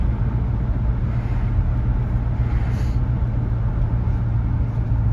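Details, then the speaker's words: 1968 Ford LTD Brougham 390-2V V8 with rebuilt Motorcraft/Autolite 2100 carburetor and Flowmaster exhaust, warm with choke fully open, on a short drive: deep smooth rumble holding steady, no misses; normal warm idle. "But sounds great. Idles smoothly. Hear that idle? Sounds wonderful. Running really good. Way better."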